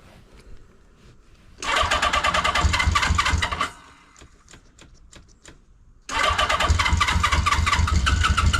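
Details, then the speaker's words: 1980 Honda CB650C four-cylinder with correct OEM exhaust, very cold start after at least a couple months unused, choke fully out, accelerator-pump throttle pumps: cranks, dies, cranks again, then settles into an even crisp burble; healthy start and idle. "okay a very very cold start here hasn't been running oh at least a couple months"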